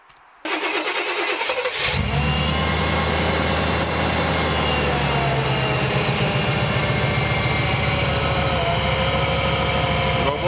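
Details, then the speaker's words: Used van start: cranks and catches quickly, then settles into an even, steady idle with no knocks or misses, oil pressure fine cold and hot, good throttle response, slight whine from an accessory pulley; normal start and idle. "А так работает очень неплохо. Мы проверяли давление масла на холодную, на горячую, все прекрасно. То есть никаких шумов, стуков."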